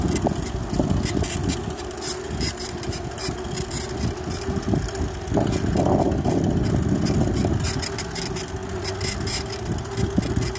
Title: Clunky noises q